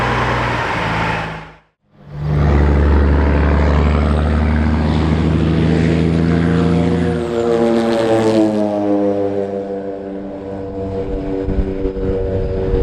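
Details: Kenworth W900 truck with Cat 3406E diesel after new turbo install, moving off around the shop; strong steady drone pulling cleanly with an even beat, no misses; runs healthy under load.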